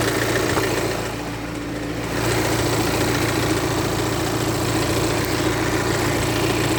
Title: BMW F45 F48 Active Tourer 218d 2.0 Diesel Motor B47C20A 150PS Motorgeräusche Klackern 03